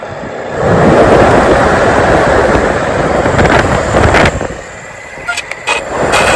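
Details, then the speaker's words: 2004-2008 Ford F-150 HVAC blower motor removed and plugged in after resistor replacement, voltage confirmed at the connector: spins up loud then sags and sputters with uneven dropouts; intermittent fault, bad connection suspected. "So we know that the controls are all good and the fan is bad."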